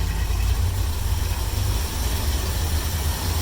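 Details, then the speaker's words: 1972 Mercury Comet 302 V8 with points ignition and an old Carter/Holley carb, idle lowered: uneven, throbbing idle with slight stumbles. It idles oddly, worse when warm. Owner is unsure whether it's a worn engine and is changing the spark plugs. "I lowered the idle down a little bit to see if maybe that helps any. But here's what it sounds like. You gotta hear it just a little bit breaking"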